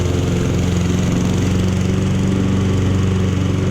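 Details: Honda lawn mower found in the trash, first start on choke, blades engaged: steady, even single-cylinder drone with constant low hum, no misses or knocks; nothing wrong, everything works, blade control slightly out of adjustment.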